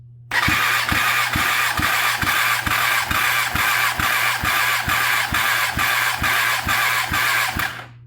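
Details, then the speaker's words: Kawasaki ZX10R engine, tested cold and not yet run, cylinder 4 cranking compression test: steady starter whir with even pulses about two per second for eight seconds. About 170 PSI, matching cylinder 3; even compression. "Looks to be about 170, which is about the same as cylinder number 3, which is pretty fluid between those two cylinders."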